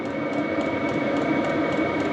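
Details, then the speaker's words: HCalory diesel air heater in a tool box, in heating mode and putting out some heat: steady whirring blower, soft combustion roar and a faint constant whistle, running evenly. Normal running. "H okay we have a little bit of heat coming out it still says it is Heating"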